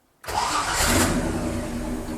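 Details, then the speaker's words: Jeep Willys, cold engine, new starter fitted: spins fast and smooth with an even whirr, higher cranking speed than the original starter, which hits like a hammer blow; no grinding, healthy starter. "Esse arranque vira de verdade, pessoal. Vocês não têm noção. O giro dele é mais alto, a pegada dele é uma pegada diferente do arranque normal."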